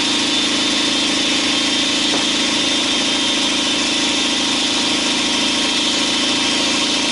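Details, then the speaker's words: 2012 Chevy Silverado 5.3L V8 with Active Fuel Management at idle: light, fast tick riding on top that follows engine speed; cylinder 4 intake lifter found collapsed and not pushing the rocker arm. "number four take take the leaf there on a intake valve it collapsed and it's not pushing the rocker arm push it all this is freely moving"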